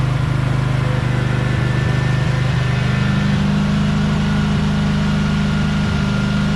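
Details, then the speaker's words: Briggs & Stratton Vanguard 23 hp V-twin on a Husqvarna tractor, sat about a month: steady, even low thrum idle with smooth firing beat, no knocks or misses; running normally. "It's a great engine, 23 horsepower Vtwin Vanguard, but like I said, I'm not going to use it, so let's see if it starts up. It's been sitting here for about a month. Engine's unbelievable, really."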